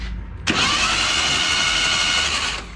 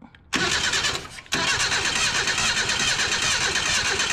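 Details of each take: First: Junkyard 1977 Datsun 710 wagon with plugs out, cylinders sprayed with Marvel Mystery Oil, PB Blaster and WD-40. Starter spins the engine over fast and even for two seconds with no compression chuffs. Normal cranking. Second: Junkyard 1977 Datsun 710 wagon: the starter spins the engine steadily for about four seconds without a single firing stroke. No spark because a plug wire had fallen off the distributor cap. Crank, no start.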